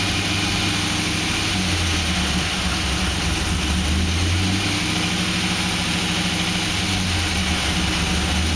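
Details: 2006 Pontiac GTO V8 idling with a light rev blip: faint knocking under the steady rumble; owner wonders whether it is piston slap or something more serious.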